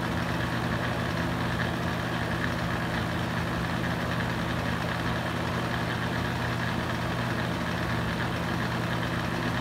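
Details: Used Hurricane box fan, running on high speed: deep steady drone with a coarse buzzing rattle. Loud vibration, possibly from loose blades, unconfirmed.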